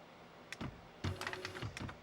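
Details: Electric typewriter after repair, which homed and gave one beep at power-on. Crisp, evenly spaced keystrikes with short carriage moves and no grinding or hesitation; it is printing normally.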